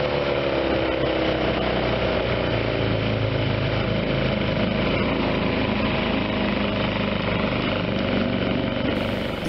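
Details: 1976 Johnson 15 hp two-stroke outboard under way, under load, after carb rebuild, new fuel pump, fuel lines and points, Sea Foam decarbonizing; compression 130/127; 21 mph GPS. Steady, even drone, level pitch, no misfire or knock. Normal running under way.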